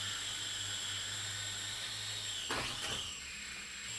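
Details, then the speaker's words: JJRC H98 camera quadcopter: piercing, steady high-pitched whine over a soft hiss, constant throughout, loud and unusual for this type; source of the whine unknown. "loud makes a high-pitched noise too it makes there's some kind of high-pitched sound coming from this thing"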